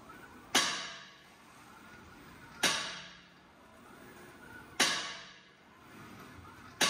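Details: Tesla Model 3, stationary while the wheel is steered: sharp metallic clack about every two seconds over a near-silent background.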